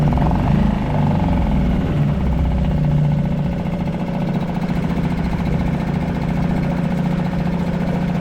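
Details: Suzuki DF 2.5 HP four-stroke outboard, in water bucket after oil-level-sensor no-start, dirty exhaust water suggesting excess oil and fuel in cylinder: putters at idle with low, steady beat, no knocks or surging; normal idle.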